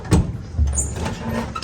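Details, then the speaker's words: Vintage Willys Jeep CJ5 on the original starter, whose bendix gear turned out stripped: short harsh grind and clatter as the starter spins without meshing the flywheel, no catch; repeated bumping eventually starts it; bendix not engaging flywheel. "It made this sound. And if I keep bumping it, eventually it'll catch and it'll start up. So I've either got starter problems or flywheel problems."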